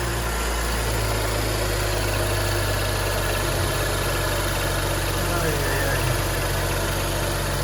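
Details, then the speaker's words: BMW 335i N55 at about 70,000 km, after a new tensioner and pulleys with the used original Continental belt refitted: steady, even idle with no chirp or squeal; the noise came from the new belt. "Okay, I replaced it, so let's see how it sounds. Would you look at that? There's no sound."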